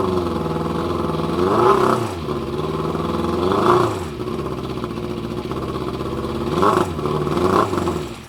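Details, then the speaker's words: Yamaha Fazer FZ600 "RatBoy" motorcycle, carbs already sorted: idles noisily but each throttle blip rises then collapses as the engine stumbles and cuts out instead of revving; cause not confirmed. "it runs and it makes a lot of noise but if i try and give it some beans it just cuts itself out"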